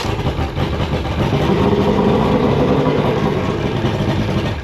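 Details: Mercury 2.5L EFI outboard with hot-soak no-start, cranked with extra throttle via shift-disengage button: catches and runs rough and uneven, stumbling before settling, with smoke; flooded condition.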